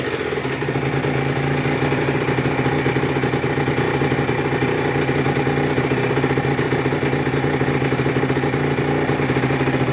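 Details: Aprilia RS125, Rotax 122 two-stroke, first start after a full rebuild (new piston, conrod, bearings, balance shaft gears, clutch; 12.1:1 compression): fast busy idle with a thin whine. Owner suspects tight new balance shaft gears wearing in; whine recedes shortly after.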